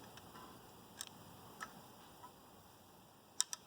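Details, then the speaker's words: Mercedes OM617 diesel during rebuild, old timing chain cut off, engine turned slowly by hand: sparse, light metallic clicks at uneven intervals, like a weight sliding back and forth on a shaft inside; source unknown. "It's almost like there's a piece of metal sliding back and forth on a shaft or something in there."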